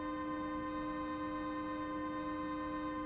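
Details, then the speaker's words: DIY synth VCO: a steady pure tone with a faint second pitch underneath as one oscillator bleeds into another's output; cause unconfirmed, suspected to be the closeness of the modules. "yeah i wanted that on on video like it's just weird it shouldn't it like you're hearing more than one"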